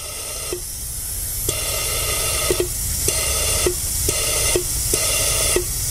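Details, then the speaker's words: BMW X1 E84 purge control valve bench-tested for codes P0443/P0444: wired to power with alligator clips and fed low-pressure compressor air, sharp clicks as it opens and closes and air hisses through only when energized, normal operation. "we're going to apply a little bit of air and if the valve is not applied to the power you're not going to you will not have okay air coming out when you apply the air will start coming out listen now"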